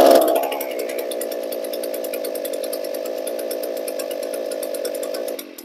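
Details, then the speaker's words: Two-stroke trimmer, hard to start; keeps running with choke closed, steady fast buzz, because the choke butterfly is loose in the air filter housing and not closing fully. "is continuing to run on choke which tells me that the butterfly choke butterfly is not closing off all the way and that's why it was hard to start to begin with"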